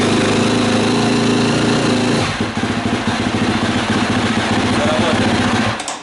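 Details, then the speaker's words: KTM 250 SX-F single after cylinder head repair; intake valves no longer leak fuel poured in the intake. Steady high rev, then drops to an even, quick-firing idle with no misses; runs normally. "как видите все работает"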